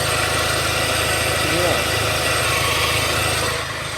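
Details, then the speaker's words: Land Rover Discovery automatic gearbox, idling with the mic at the wheel: rough, gritty grinding hiss; fault code P0936, hydraulic pressure sensor circuit intermittent, with trouble selecting Drive; gearbox failure suspected. "doesn't sound too good does it"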